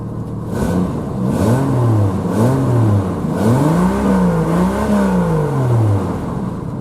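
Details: 1991 Jeep Cherokee XJ Laredo 4.0L High Output six, warm, after new fuel pump and fuel filter (still needs head gasket); revs climb and fall smoothly in repeated blips, clean pull, no stumble or misfire; runs like a top.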